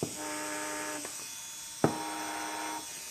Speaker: so let's uh let's see if these are speed matched this is the rear motor front that sounds a little bit higher pitch